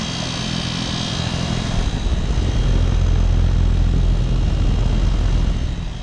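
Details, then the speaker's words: New 2022 Goodman air conditioner replacing a vintage Magic Chef, about 96°F: deep steady whooshing hum swelling slightly, no knocks or rattles, healthy condenser fan and compressor, apparently a rotary compressor. "sounds like it's got a rotary"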